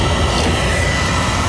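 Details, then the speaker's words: Residential oil burner that ran briefly, shut off and made black smoke/soot, refired after cleaning, draft being adjusted, about one over the fire; steady even roar with faint constant high tone, no pulsing or rumble; firing cleanly. "yeah I know they actually need a little bit more draft that's a little better"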